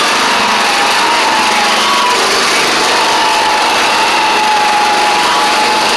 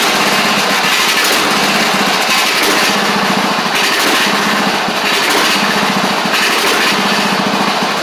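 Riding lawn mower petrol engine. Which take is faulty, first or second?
first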